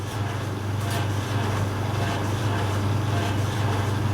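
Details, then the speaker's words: Creda 3730 washing machine, bought at auction and thought not sold in working order, front seal suspected gone, also not heating: heavy, rough low rumble with uneven thumping as the drum turns; bad banging, cause not yet known. "Man, that's really rough."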